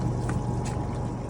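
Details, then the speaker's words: Bonaire Durango evaporative cooler after replacing the water pump with a new one, switched on: steady low hum with soft water trickle, no rattle or grinding; pump running smoothly and healthy. "So now I just turn it on. Let's make sure that it's running, which I already know it is because I can see the water."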